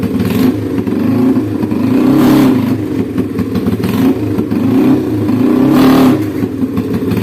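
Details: Honda Scoopy ESP scooter after replacing the damaged, jammed CVT roller housing and boss spacer: revs up cleanly, rising smoothly and dropping back with no slipping, rattle or judder; acceleration and top speed good.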